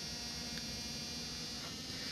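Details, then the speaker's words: Dicon 37-inch LCD TV, picture works but volume above 50 gives no program sound: speakers emit only a constant low buzz with faint high hiss from power-on; audio fault, cause not yet found. "ये इसमें fault है, picture भी आती है लेकिन इसकी sound जो है वो इसी तरह आती रहती है, ठीक है।"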